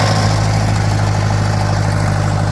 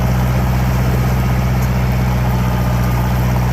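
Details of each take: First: Farmall 504 tractor with low float condition, floats already set as high as they go, choke held manually: rough, low lean idle ready to die; it runs briefly then shuts off, a fuel delivery issue, fuel starvation. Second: Farmall 504 tractor after fixing fuel starvation caused by clogged sediment bowl, pulling through pit ruts where it previously bogged: even, strong low drone steady under load without stumbling; running nice, healthy engine under load.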